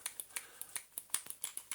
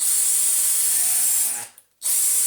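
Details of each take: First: Dyson DC35 cordless vacuum with a good, known-working battery: trigger micro switch clicks sharply about six times a second but the motor never starts; the switch is broken and needs replacing. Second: Dyson cordless vacuum running on a known-good battery: two short bursts of high hissing motor whirr that spin up cleanly and stop; normal running, compared with a DC35 Animal whose trigger micro switch is broken.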